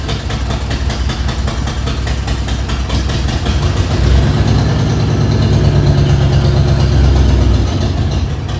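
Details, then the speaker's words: 1994 Ford F-150 cold start after 302 V8 engine swap; deep idle with quick steady tick about four a second; owner suspects loose exhaust manifold leak; ticking at idle. "sounds like i got to tighten up one of my exhaust manifolds over there"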